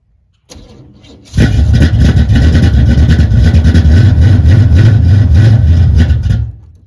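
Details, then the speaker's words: 1978 El Camino V8, no choke, cold start at 16°F in snow, recorded from behind the car: short crank, catches at once, deep steady even idle; well-tuned, clean cold start; normal cold start. "look at that I've got this thing tuned pretty well 16° cold start with no choke"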